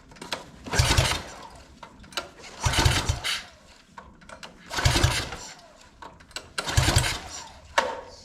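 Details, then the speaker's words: Free mini bike after spark plug cleaned and re-gapped: four cranking bursts roughly every two seconds, spins over but never fires; spark suspected, not confirmed. "still does not sound like it wants to fire up well I guess we could take that back out and see if it even is getting spark"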